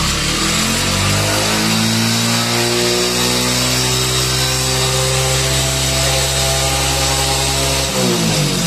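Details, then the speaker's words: Passion Pro single-cylinder bike, fault present for several days: right after start it holds a high, buzzy rev climbing on its own without throttle; tight accelerator cable holding throttle open, before cable fix. "दोस्तों की bike जिस तरह से मैंने start किया automatically ये बिल्कुल जो रेस जो है वो अपने निकला पायदान पे ठीक है फिर भी देख सकते हैं की बिल्कुल रेस ऑटोमेटिक ले रहा है"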